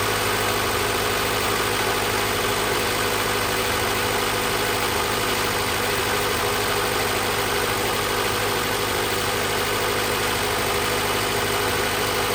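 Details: 2000 Honda Civic Si (EM1) B16A after a head gasket, LMA, valve spring and retainer rebuild with valve lash adjusted: smooth, even idle with steady valvetrain chatter and no misfire, lope or knocking; settles nicely.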